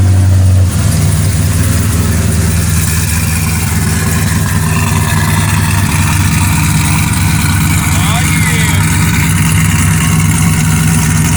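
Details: 1963 Chevy C10 with 5.3 LS swap, big cam, HP Tuners tune: catches within a second, settles into steady, slightly choppy lope; healthy start and idle.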